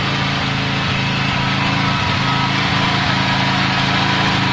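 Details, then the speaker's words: Norton PGi2500c inverter generator after the owner cleaned and tuned it: steady, even small-engine drone with a consistent beat and no hunting or misses; starting better and running smoother. "Sounding a lot better now. More smooth. Yep."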